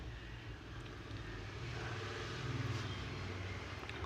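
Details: Wall cutting machine after repair: steady, low motor drone with an even, gently building pitch and no knocking or grinding. It had vibrated because a damaged bottom armature bearing let the armature touch the field coil; both bearings were replaced.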